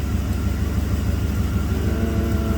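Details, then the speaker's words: 1990 Camaro, 5.0 Tuned Port Injection V8, 29,000 km, earlier had a random misfire and a spark timing code. Timing light showed 15°, data shows 12–14° at idle. Deep, even rumble with no skips; it now idles smoothly. "the system varies the spark timing to stabilize the idle car seems to be running nice and smooth now i'm going to take it for a road test but i'm 99 sure this is going to be fine"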